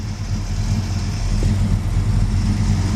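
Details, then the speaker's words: 1966 Dodge Charger with a replacement 440 wedge V8 and Flowmaster exhaust, said to have sat four or five years: a deep, smooth idle with a gentle lope and no ticking or knocking. Sounds healthy, likely just due an oil change and service. "sounds good I'm I'm sure it needs an oil change and a service just normal stuff"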